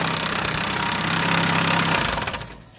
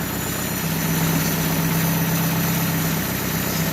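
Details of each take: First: Chevrolet Aveo 2015 petrol engine cranked with the timing cover removed: rapid, busy clatter like lifters; actually a slack timing belt that lost tension and slaps its cover, not lifters or main bearings. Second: 2015 Chevrolet Aveo petrol idling smoothly after repair, with no slapping or knocking. The earlier noise was a loose timing belt hitting its cover after a tensioner bolt came loose, not lifters or bearings.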